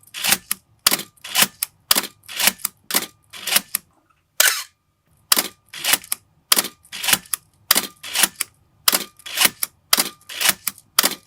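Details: 1981 Canon AE-1 Program after lubricating the gears to cure the "Canon cough": crisp, clean double clack of mirror and shutter about once a second, each firing even with no drag; shutter sounds healthy after repair.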